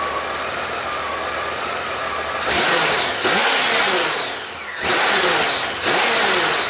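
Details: Warm 30-year-old Honda GL1500 Goldwing after carburetor clean, accelerator pump repaired and no longer leaking, air filter fitted: steady even idle, then quick throttle blips rising and falling cleanly with no stumble or misfire; normal warm start and idle.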